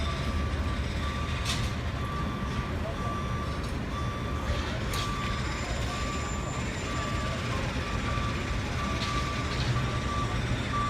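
A steady, even beep about once a second sounds over deep diesel rumble. It is a working truck's reversing alarm.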